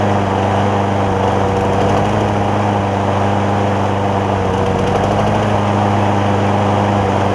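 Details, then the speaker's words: John Deere JA60 single-cylinder push mower, carb jet opened to 0.009 in: steady even beat holding speed, no hunting or popping; no longer lean, slightly rich, 0.008 in jet planned. "So I went up to 9 thousandths on a jet, and it got to running better. It wasn't running lean anymore."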